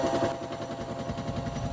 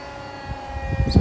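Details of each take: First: Hotpoint WMXTF942P washing machine at full-speed spin with a full wet load, covers removed; heavy rhythmic thumping and rattling, drum shaking excessively. Worn suspension dampers, more than likely dry. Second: Hotpoint WMXTF942P washing machine, unused for a while, on a quick spin program with an empty drum before repair; drum winding up with a soft low rumble and light thumps, not excessive. Normal empty spin.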